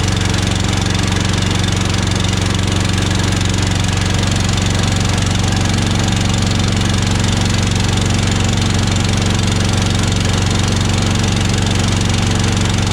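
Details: Honda-copy Harbor Freight (Predator-type) engine on an air compressor after clearing the carburettor float bowl of water/bad fuel and adding fresh fuel: a steady, even single-cylinder beat of about 200 per minute with no misses. Running normally.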